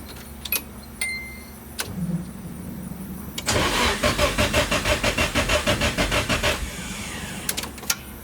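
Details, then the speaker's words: Nissan 240SX, first crank after power steering pump rebuild: starter spins the engine in an even chug of about three beats a second for three seconds but it never catches; not getting enough fuel, fuel leaking from lines. "all right cranks over will enough it's not gonna start a bit it's not getting enough fuel told it's kind of leaking out of those lines"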